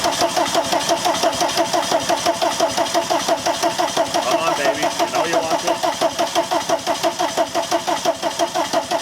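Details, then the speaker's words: VW camper van after a TDI engine swap with the new harness installed, fuel primed: steady starter cranking with even compression pulses, about ninety a minute, never fires; cranks but won't start, so easy start is to be tried. "I mean realistically it should be starting by now if I just need a shot of an easy start or something like that"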